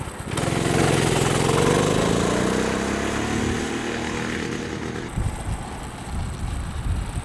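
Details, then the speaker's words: Monster Moto mini bike with stage 1 kit (header, pod, intake, carb jet) fitted with stock Honda Grom muffler, test ride pulling away: smooth rising single-cylinder putter, soft muffled exhaust with no rasp; normal, super quiet. "Isn't that quiet? That's super quiet."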